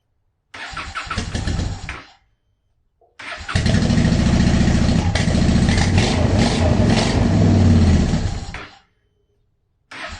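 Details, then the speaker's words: 2010 Honda Shadow Phantom after fuel pump cleaning and tank reassembly, fresh ethanol-free fuel with B12 Chemtool added, air still in the fuel system: two cranking attempts, first catching and dying, then lumpy uneven idle; hard starting and rough running. "just getting all i mean there's going to be air in the system and everything now is much better"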